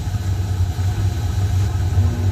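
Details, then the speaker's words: Home furnace after maintenance with new filter and cleaning, blower running after fan switch clicks on: low, steady hum with even droning rumble, no rattles or squeals; normal blower operation. "Yeah, fan running. That means the house get warmer in a minute."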